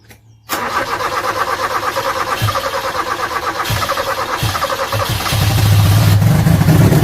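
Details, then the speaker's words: 1986 Toyota Corolla KE70 abandoned for years, being revived: slow, labouring crank that won't catch and drags harder toward the end from a weak battery; owner also suspects water in the carburettor; later starts with a jumper pack. "oh battery doesn't like it it looks like there's water in the carb sure let's try it"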